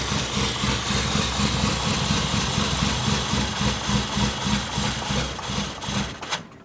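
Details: 1970s Pontiac Phoenix sitting 20+ years, cold start with choke wide open and bad spark plugs: uneven, lumpy, stumbling idle that dies; a wide-open PCV valve caused a giant vacuum leak and a plug wire cuts in and out.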